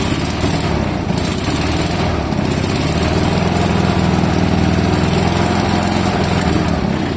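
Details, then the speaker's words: Fiat Jolly with a 500cc engine, its faulty factory carb replaced by a lawnmower carburetor, on its first real run in several years. A steady, even, smooth low putter with no misses, knocks or hunting; the engine runs cleanly. "The car runs pretty darn good, uh especially for being its first real run in several years."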